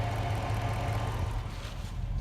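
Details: 2005 Jeep Grand Cherokee Hemi with a cold-weather no-start, started by using the starter relay to turn the motor and then the key: low, even, steady rumble with no misses or knocks. Normal idle.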